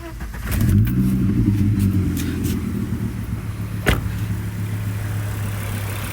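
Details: Volvo 850/S70/V70 petrol engine started and idling after fitting a shorter serpentine belt to bypass the worn, rattling AC compressor pulley: fires up and settles into a steady, even idle, no belt squeal or pulley noise.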